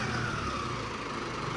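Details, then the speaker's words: Mahindra Arjun NOVO 605 DI tractor diesel just fitted with turbo kit after three days' work: rough diesel roar revved with thin whistle on top; turbo spooling normally, sound absent before fitting. "बस बस इतना काफ़ी है। भाई turbo की गजब sound आ रही है।"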